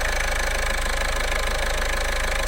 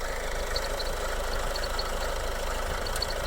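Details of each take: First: Car engine idling after new belt and water pump installed to redo a dealer's poor work, top cover not yet fitted: steady even idle, smooth low pulse, light belt hum, no knocks or squeals; brand new and quiet, normal idle. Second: Idle with a faint steady high chirping whir that persists with the alternator belt disconnected, ruling out the alternator; worn water pump bearing suspected.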